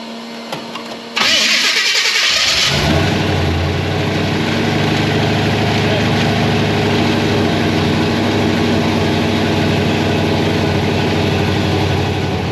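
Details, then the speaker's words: Supercharged carbureted V8 Chevy C10 after sealing vacuum leaks: cranks, catches within a second and settles into a strong, even run answering throttle cleanly, now that it no longer pulls air from places it shouldn't; normal running. "Hey, the carburetors are telling it what to do. Weird. When it's not pulling air from places it's not supposed to be. Exactly. It actually does stuff it's supposed to."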